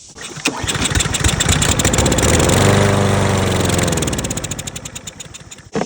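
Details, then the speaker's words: Briggs & Stratton EX 675 lawn mower engine after spraying carb cleaner: fires up, speeds briefly, then sags and dies within about five seconds; dirty carburetor causing fuel starvation. "Definitely have a carburetor issue."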